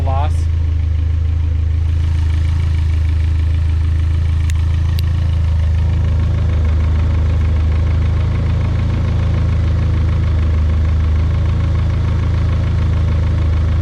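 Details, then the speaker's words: Built engine at idle right after switching from 20W-50 to 5W-20 oil: steady low idle with a faint, fairly even light tick about three per second, just as loud or louder than before; cause not confirmed. "it sounds just as loud if not louder in my opinion"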